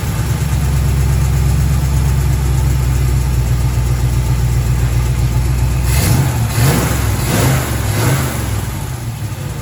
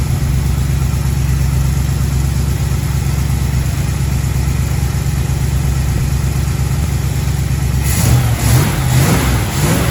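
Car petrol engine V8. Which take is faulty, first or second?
second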